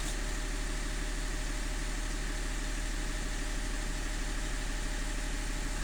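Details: E39 engine idle with a pulsing, uneven beat about three times a second instead of a smooth hum; the engine is idling rough, cause not stated.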